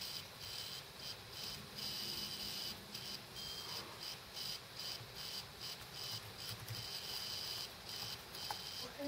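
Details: Dead laptop hard drive running with cover off: repeated high, thin chirps about twice a second over faint hum as heads seek and retract; probably killed by head parking every minute or so (suspected OS X/power-save firmware interaction).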